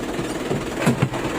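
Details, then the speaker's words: Isuzu 4JB1 diesel truck at idle, before repair: a rough rattling clatter from the transmission with the clutch released, gone when the clutch is pressed. Clutch problem suspected, cause not yet found. "Meron na naman, no? Yan, may maingay na naman."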